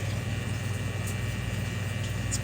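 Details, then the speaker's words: Maytag MDB4949SKZ2 dishwasher with F9E1 code won't wash; pump motor drains but hums low and rough with gritty grinding, as the filter inside the motor sump locks up and overheats the motor. "Kinda sounds funny. It drained it first."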